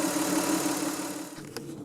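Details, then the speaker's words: Car after fuel pump replacement (had been stalling suddenly; fuel filter changed first), first start next day: steady, even idle hum with no misses, knocks or stumbles, settling quieter; normal idle, new pump resolved problem. "just like the old girl used to be that's a great sign let's take it out for a drive and see how it runs"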